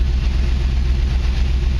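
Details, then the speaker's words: 1949 Chevy truck school project, LT1 V8 swap, recorded from the back of the seat; deep, even idle with a smooth, regular pulse and no ticks or stumbles; runs really well; normal idle. "the back of the seat you can here this thing runs really well"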